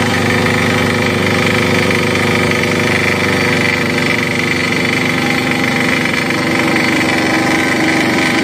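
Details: Crown CDP 80 3-inch single-cylinder diesel water pump, filled with diesel, oil and water, started by finding compression top and dropping the decompressor: hard even diesel clatter at steady speed, no misses or surging; normal running.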